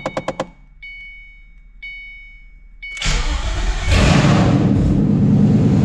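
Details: 2014 Mustang 5.0 Coyote V8 swapped into a 3V S197 Mustang with plug-and-play harness, first start; a few chimes, HVAC motors and throttle body audible, short crank, then fires straight up and settles to a steady, even V8 idle: normal.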